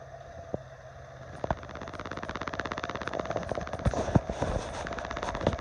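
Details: 1982 Honda Magna 750 at idle: quick light ticks, about three a second, over a lumpy idle that gets busier as it settles; origin unknown.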